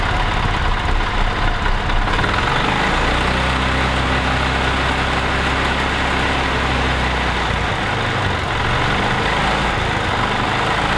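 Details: 1985 Club Car DS gas golf cart, previously crank-no-start or starting then dying, after carburetor cleaning and air box reinstalled; catches after a moment and settles into a steady, even low putter with no misses or stumbles; runs normally.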